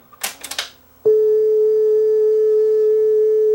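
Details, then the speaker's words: Yamaha K520 cassette deck playing a speed test tape: the tone wavers unevenly in pitch and runs slow. The wrong, too-thin eBay replacement drive belt makes the tape speed flutter badly. "really really flutters like crazy but we lost sound"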